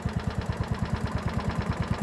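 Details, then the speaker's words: Ransomes Marquis mower with Kohler single-cylinder engine: steady, even low thump about eight beats a second with no misses or knocks; healthy idle. "Just do sound good. Listen to it, just purring away. Lovely, lovely, lovely."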